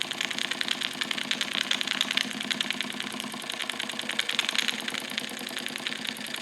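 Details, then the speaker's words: Wilesco D455 tabletop double-acting stationary steam engine, throttle full open, warming up while purging condensed water and oil: quick, even chuffing at about three beats a second, crisp and regular, no knocks. Normal running. "So as everything really comes up to temperature, it's purging condensed water as well as some oil. And you'll listen to the sound change a little bit as things heat up."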